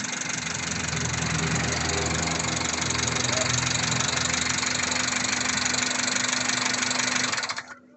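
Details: Rough, loud engine idle with a steady ticking/clicking about four times a second until shutdown; engine ticking noise of unknown cause.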